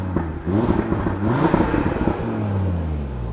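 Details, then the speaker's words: Audi RS3 with DAZA engine, 5-door converted to 3-door, revved to 7,000 rpm for the first time in about 2.5–3 years; revs climb and fall cleanly with no knock, rattle or miss, sounds healthy, normal revving. "I took it to 7,000 RPM, and that is the first time that it's been to 7,000 RPM in 2 and 1/2, 3 uh years. So, I'm really hoping it's just a cobwebs blowout. I don't know, but it seems I mean, it runs fine. It sounds fine,"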